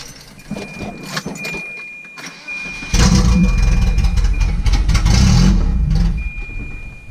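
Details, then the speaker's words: Volvo B230 engine just after camshaft installation, timing belt cover off, cold start, loud open exhaust; cranks and catches then settles into a loud, slightly uneven loping idle, lumpier from more duration and lift. "all right she runs it's definitely lumpier that's for sure a lot more duration and a lot more left"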